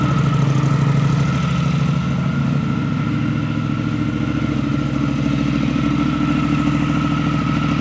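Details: Brand-new 2023 Triumph Thruxton RS with Predator Carbon exhausts just fitted; deep, lumpy twin-cylinder idle burble through loud pipes with steady pulses and no mechanical rattle. Normal idle.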